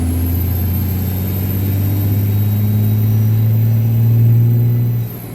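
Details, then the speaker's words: Little Red Cummins diesel dually, floored from about 1500 rpm: a deep rising roar as boost builds quickly, with no hesitation. Healthy, fast turbo spool. "But like, so watch how fast this turbo spools, right? I'm gonna put it down to like 1500 and then just let her eat."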